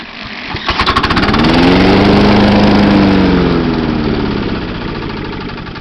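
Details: 1996 John Deere JX85 mower, long stored, cranked with cordless drill on recoil: rapid cranking, single cylinder fires, picks up speed, runs seconds then fades; carburetor badly corroded by rain rust.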